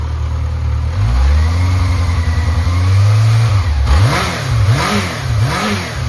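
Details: Yamaha XJR400 (4HM) four-cylinder engine removed from a running bike, compression tested: a smooth, even note that settles at idle, then swells cleanly through several blips with no knocks, ticks or white smoke, a healthy engine.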